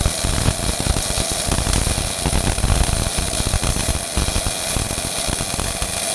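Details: Old Miller-Matic 251 MIG welder at 21 volts and 366, welding pipe fittings: a steady, crisp frying crackle with an even low buzz and no big pops or gaps, the arc running smooth and well set; normal MIG welding arc.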